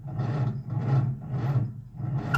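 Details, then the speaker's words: Old Nash four-stroke car on a 6-volt system with boost box, after fuel pump sediment bowl replaced by a fence post cap: slow labored cranking, about 1.5 compressions a second, never catching; out of fuel, carburetor needs priming. "Uh-oh. She is out of gas. I don't think this is going to work. I may have to prime the carburetor."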